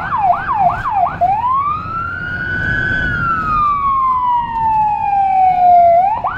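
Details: Federal Signal Rumbler-equipped siren on a small emergency car in Budapest: a fast yelp, then a long slow rise and fall; siren working normally, with the 180–360 Hz low tone not clearly separable.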